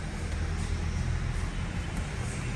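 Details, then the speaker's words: 2014 Hyundai i30 after replacing the aftermarket steering bushing with the original part: steady low engine and road rumble with no clunks, knocks or rattles; steering noise and play gone. "Vamos dar partida aí. Beleza. Acabou o barulho. Acabou folga."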